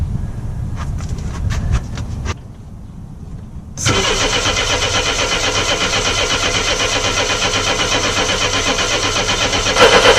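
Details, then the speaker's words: Mercedes 230E W123 after fitting a new fuel pump: starter cranks at a steady four beats per second but the engine never catches; no fuel reaching the fuel lines, accumulator suspected; crank no start. "I really thought that might do it I guess if your accumulator is kaput"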